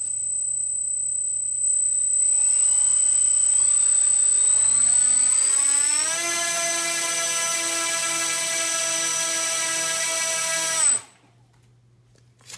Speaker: yeah seems pretty nice I think I might have enough to take it off the ground